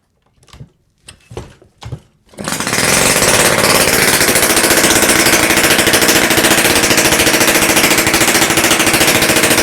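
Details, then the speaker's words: Romet Komar S38 "egg" two-stroke engine just rebuilt with modern parts, cylinder at 38.75, on the bench without exhaust elbow or silencer, fuel from a syringe; catches after a few kicks into a loud, fast, even rattle, running fine. "Nawet powiem szczerze że ładnie odpalił"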